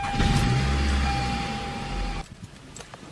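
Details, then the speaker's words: 2004 Toyota Camry before starter replacement: labored cranking about three beats a second with a strained whir for two seconds. The weak starter still starts the engine every time, but slowly. "okay hopefully it'll that'll make the noise first so you hear how i was struggling right there"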